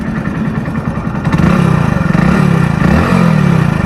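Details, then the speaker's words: Hero Splendor Plus BS6 single at idle and blips: dry, rapid chattering 'char char' rattle from the head, rising with revs; owner attributes it to the timing chain. "सुनना भाई लोग sound तो अभी आप लोगों ने सुन लिया होगा इसका साउंड वगैरह मतलब इसमें चर चर टाइप की नॉज आ रही है जो कि आप लोग जानते हो गाइ टाइमिंग चेन की नॉज है"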